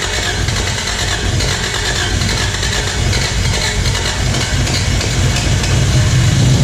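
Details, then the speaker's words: 1986 Toyota Corolla AE86 parked since 2010, started after its plugs were cleaned. Steady petrol idle, slightly fast and even, no knocks, while coolant temperature climbs. High idle when cold. "Idling a little high, but coolant temp's coming up, so looks good."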